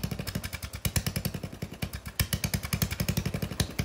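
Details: Lawn mower single-cylinder engine, muffler removed before a turbo is fitted: loud sharp raw crackly popping bursts at about ten a second.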